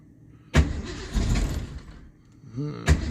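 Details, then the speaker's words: 1982 Ford Mustang GT carbureted V8 on a cold January day: cranks, catches briefly, stumbles and dies, then catches weakly, not setting on the fast idle cam despite adjustments; hard cold start. "own not liking that made some more adjustments let's see if it'll start come on baby still not starting on the fast Auto camer"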